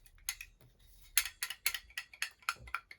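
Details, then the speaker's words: Old leaking Symmons Temptrol shower valve, cartridge pulled out during repair: crisp light clicks about four a second as it is shaken, showing the balancing piston still slides freely and is not seized. "You can hear the balancing piston is still doing the thing. So far so good, which is making me extremely nervous."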